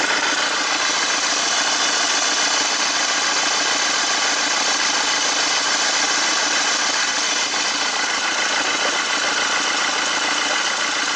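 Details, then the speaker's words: Mercedes Vito 115 CDI common-rail diesel at idle: steady idle with a sharp hissing puff on each firing like escaping pressure; blow-by past worn copper sealing washer on injector number two, causing black tar. "Look, now that I've uncovered the leak, you can see the leak perfectly. Now that I've recognized the sound, it's like a pressure."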